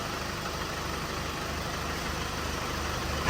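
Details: Chevrolet Colorado Z71 2.5 diesel with 5-speed manual, the healthy reference truck recorded before a shaking-engine problem truck: smooth even idle, steady low clatter, no misses or shake; normal diesel idle.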